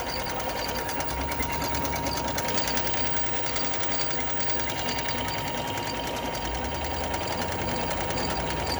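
Sewing machine running at a steady fast clatter with a thin constant whine over it; sounds abnormal, cause not clear.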